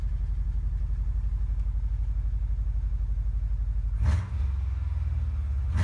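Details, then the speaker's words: 2001 Subaru Forester after fuel pump replacement idles evenly and takes a clean throttle blip with no sputter or pump whine. It is much quieter than the old pump, which whined loudly and made the car sputter. "It's working, and it's a lot quieter than the old one."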